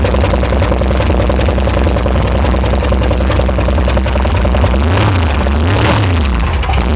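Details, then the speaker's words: VH Valiant Ranger with a freshly swapped 245 Hemi six, first start with direct power to the coil. Rapid steady tapping continues at idle and through two rev blips. Hydraulic lifters are tapping just after first start. "you can hear that tapping really loud alright guys but that's a success"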